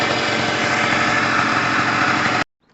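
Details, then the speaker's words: Pulse Force 50cc two-stroke, rescued, kick-started with flat battery: smooth, even buzzing at a high steady idle with no misses or rattles; engine sounds healthy and fine. "Alright guys, so wrapping up, the battery is so flat it needs charging, but it starts on the kick and it sounds fine, and it should do every time. It sounds amazing."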